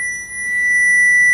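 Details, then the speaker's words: 2010 Chevy Malibu 2.4 with no start and no injector pulse, tracing the injector feed circuit from fuse 44 with a short finder: a steady high tone that gets louder as the probe nears the live wire. "okay now when you get close to the wire it makes that sound"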